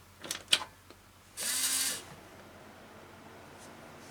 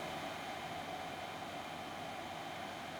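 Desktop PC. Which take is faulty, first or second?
second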